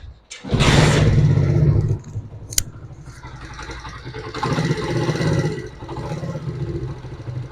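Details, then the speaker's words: Honda CD70 single-cylinder bike after an engine rebuild for a loud noise: fires first try, blips twice, then settles into a steady healthy idle. "तो दोस्तों आपने engine का sound check किया है की भाई का इंजन का साउंड जो है बिल्कुल जबरदस्त हो चुका है"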